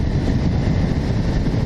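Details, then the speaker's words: 1984 Honda VF1100C V65 Magna V4 on test ride after brake master cylinder rebuild and suspension work: deep, even rumble with wind noise, no knocks or rattles; no dodgy sounds, runs smoothly. "No dodgy sounds. It handles pretty well."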